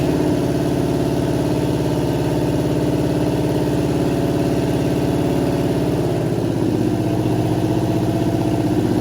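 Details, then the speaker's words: 1963 Chevy Impala V8 test fire, running on open manifolds: loud steady idle with even firing pulses, no miss or knock; runs cleanly, sounds healthy. "This thing runs. It sounds good. It's got. It has oil. It sounds healthy. It does not sound good because it's open. Or open manifolds."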